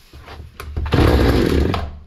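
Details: Hyundai 650 chainsaw, before repair: fires and revs for a second then dies; fuel delivery insufficient, filter found unclogged.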